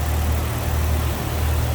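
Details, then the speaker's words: 1997 Jeep Wrangler Sport 4x4 idling with the hood open over an extremely clean engine bay: deep, smooth, steady hum with an even beat and no ticks or knocks; sounds good. "Extremely clean engine bay. Very reliable power plant. Sounds good, looks good underneath"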